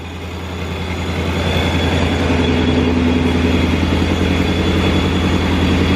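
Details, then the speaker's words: 2019 Mustang GT V8 with a newly installed ProCharger P1X Stage 2, first start on the base tune and warming up. A deep, loud, even idle with steady low pulses that settles as it warms; smooth and healthy. "Alright, so we just got our first fire up in the car. Car's warming up. Man, listen to that thing. That thing ProCharger is just woo!"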